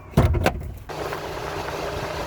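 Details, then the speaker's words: 1991 VP Commodore, cold engine, key turned to ignition on: a couple of clunks, then the thermo fan whirs immediately. The faulty ECU commands the fan; a new coolant temperature sensor (under the alternator) didn't fix it. "The car is cold and the thermo fan should not be starting up as soon as I turn the ignition on."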